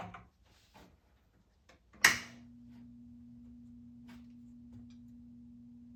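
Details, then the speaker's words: Space Duel arcade game board during restoration, supply measuring low voltage around 4.5 V: sharp click then steady low hum near 230 Hz, a fault tone; power supply suspected, cause not pinned down. "That's plugged in now. It's doing that noise."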